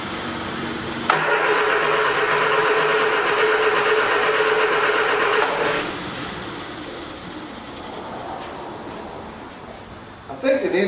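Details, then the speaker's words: 1979 Triumph Spitfire, sat about 20 years, brisk steady cranking for about four seconds with no fire; fuel delivery issue, fuel pump or stuck carburetor needle and seat suspected, not confirmed. "Not get any fuel. I don't know if it's the fuel pump not keeping up, or the needle and seat is actually stuck."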